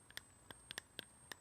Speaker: yeah the frequency changes when you push the button because uh the voltage is fluctuating the battery so it's not like a sort of accurate frequency